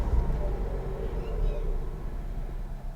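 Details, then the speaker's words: Auction-bought Mazda RX8 rotary engine, with intermittent thudding heard earlier: sags as soon as the throttle is released, low rumble fading out within three seconds; stalls straight away and won't hold idle. "Stalled. Straight away. So it doesn't want to keep running either."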